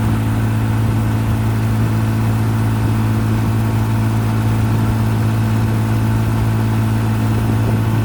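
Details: 1955 Johnson QD 16 10 hp outboard, after new condensers, carburetor kit, water pump and seals, pushing a 14 ft Blue Finn deep V at 13–14 mph: smooth, even low drone at constant pitch, no misses or knocks. Running strong.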